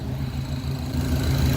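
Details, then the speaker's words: 1966 Pontiac Catalina wagon V8 with idle air control, rear wheels raised, idle still at 800 rpm while adjusting: steady, even idle sitting a touch fast and not settling lower; throttle letting in too much bypass air. "Okay, she's idling a little high, but she's coming down. She's trying to close all the way."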